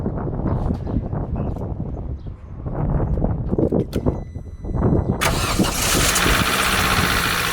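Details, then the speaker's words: 2004 Vauxhall Corsa C 1.2 petrol, off the road two years, before oil change on old oil: cranks, catches, then idles with a busy top-end clatter, likely tired valvetrain; oil change and flush expected to help. "Sounds a bit noisy at the top end, so it definitely benefits from an oil change, and we can get an oil push as well."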